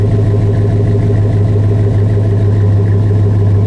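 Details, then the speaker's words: 2005 Chevy Silverado 1500, 5.3 pushrod V8 with Flowmaster 50 Series Delta Flow muffler, settling from high idle to normal idle. Deep, even V8 burble with a steady low rumble and no misses or ticks; healthy idle. "There it goes. You have a perfect sound. Love it."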